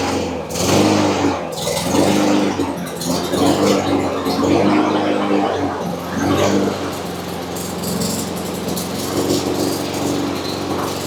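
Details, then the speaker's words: Free Cub Cadet push mower with Honda GCV160 engine, after carburetor clean, fuel on, recoil start: fires after an easy pull and settles into a steady, slightly rattly drone without surging or dying; normal running. "That was a pretty easy crank, so that's good news. So I guess it was just a little bit of the carb clean on this little thing."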